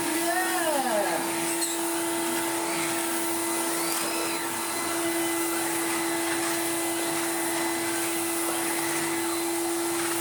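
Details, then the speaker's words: 1990s Numatic BX.BX BX190 commercial vacuum after wiping the filter seal and cleaning the bin: steady motor hum with a hissy, leaky edge, quieter than before; remaining leak suspected inside the motor housing until refurbished. "That's a lot better. I think a lot of it's going to be inside the motor housing, sadly. So it's going to sound like that until it's refurbished."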